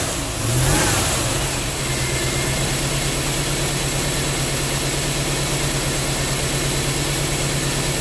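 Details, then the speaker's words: 1987 Chevrolet Corvette C4 that sat 25 years, after fuel pump replacement: catches after a brief crank and settles into a steady, even idle with a smooth, unbroken rumble. It starts and idles normally. "It starts and idles great."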